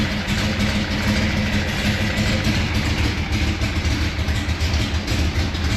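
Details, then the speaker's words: Gen 3 Hemi with Holley Hi Ram EFI intake and Terminator X Max in a 1970 Dodge Super Bee, troubleshooting misfire and MAP sensor issues: lumpy idle rises slightly as starting fluid is sprayed, confirming a vacuum leak under the driver's side intake. "There's for sure a vacuum leak underneath this driver's side."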